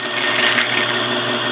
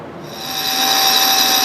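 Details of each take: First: South Bend toolpost grinder, end cap removed or backed out so the cotter pin no longer scratches inside it: smooth even high-pitched spin, no scratching or rattle; running quietly and healthy. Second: South Bend toolpost grinder running on a lathe with a freshly dressed wheel, grinding scrap: high steady whine with a faint uneven pulse; the lumpy drive belt shakes the wheel and gives a horrible finish, a link belt later ordered.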